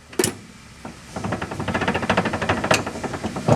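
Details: Ford Fox Body Mustang with 410 cubic inch small block and manual gearbox, rear end damaged by 6,000+ rpm clutch drops: turning the axle by hand gives stuttering uneven clacks and sharp knocks from broken ring gear teeth.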